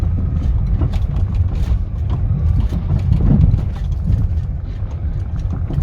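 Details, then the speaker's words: Honda Amaze, about 2014-15, petrol CVT automatic with CNG, about 77,000 km, recorded from inside the car on a test ride over rough roads: sharp, irregular "kat-kat" clicks and knocks, mainly from the right side. It is a suspension rattle, and a full suspension job followed. "Hopefully you can hear कि ये कैसी sound कर रही है। Specially right side से बहुत आवाज़ आ रही है। पूरी कट कट कट कट आवाज़ आ रही है।"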